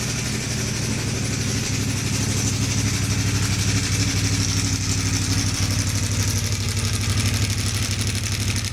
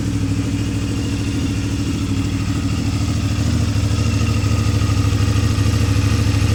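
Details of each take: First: CFMoto 450 MT at 4,767 km, microphone near the exhaust: loud fast clattering rattle over idle, louder than the exhaust, from a stuck cam chain tensioner piston; cam chain tensioner rattle. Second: CFMoto 450 MT single-cylinder at idle after fixing a stuck cam chain tensioner (snap ring removed): steady, even idle with deep exhaust beat and no mechanical rattle; engine healthy.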